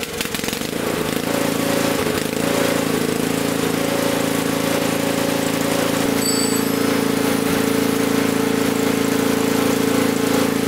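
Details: Honda snowblower single-cylinder engine, previously not starting due to a gummed carburetor, started on choke after GumBuster carb cleaning without carb removal: it catches and settles into a steady, even run at constant pitch with no misses.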